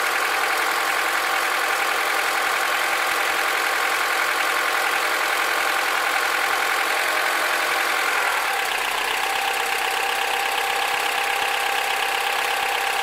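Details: Honda K20Z2 engine at idle with an abnormal extra noise: a light, fairly quick ticking about three times a second riding over the hum; cause not pinned down.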